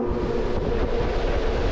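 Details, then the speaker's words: Blower after replacing a noisy motor with a new one on the same capacitor, running on low speed: steady, even low rushing airflow with no rattle, knock or squeal; normal blower running. "That's 1,000 times better. Alright, it's going to be on low speed here. That's more normal level. We can handle that."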